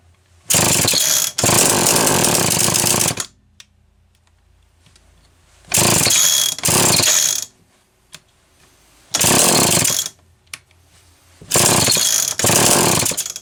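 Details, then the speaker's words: Homelite XL-123 chainsaw: screams in one-to-two-second bursts, cutting out and refiring repeatedly, worse than before; ignition misfire, points suspected, later traced to a faulty condenser. "that's even worse now wow okay i feel like i've said this too many times but back to the drawing board"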